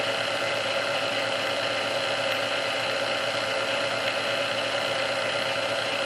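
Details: Restored Sunbeam Mixmaster Model 12 that had been quickly overheating its rebuilt speed resistor, after swapping all internal parts: even, steady motor whir on first (low) speed for about 2 minutes with no surging or dragging, running healthy; original cause unknown.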